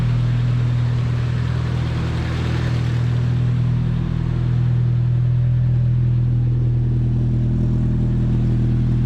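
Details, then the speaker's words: Nissan 240 first startup after new exhaust and muffler installed: deep smooth even rumble at steady idle, no rasp or drone; much quieter than old exhaust, healthy. "All right, first startup. Let's go. Oh my god, it's so much quieter. Wow, that's a lot quieter."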